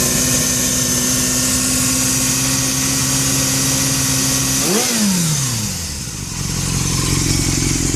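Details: 2000 Yamaha YZF600R Thundercat with Yoshimura slip-on exhaust, steady engine drone with faint high hiss, rev dip and recovery; noise began after a wheelie attempt, oil changed, owner suspects valve leak.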